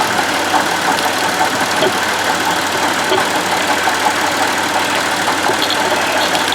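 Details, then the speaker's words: Buick Lucerne at idle, recorded at the front engine accessories. A steady, rough whirring rumble with faint ticking comes from a worn water pump bearing; the alternator and idler pulley sound normal. The car also has a separate wheel-bearing noise. "there's the uh idler pulley for the it's all normal all this sound is coming out of this water pump"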